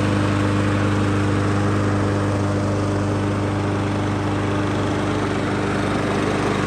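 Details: Troy-Bilt TB110 mower with Briggs & Stratton plastic carburetor, customer says it shuts off after running a while; oil topped up, first cold run outdoors: steady even single-cylinder drone at constant speed, no surging or dying; normal running.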